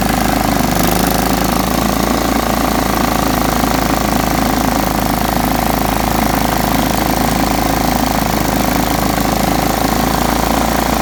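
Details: John Deere STX 38 riding mower after a little tweaking and a new battery, mowing: a loud, steady single-cylinder chug with an even beat and no misses or knocks under mowing load. Normal running.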